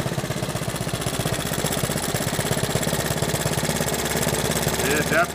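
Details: Honda 110 three-wheeler after points inspection and timing advanced, carb rebuilt, idle possibly set low: single-cylinder putters at steady, even, slightly fast idle, clean with no misses. Normal idle.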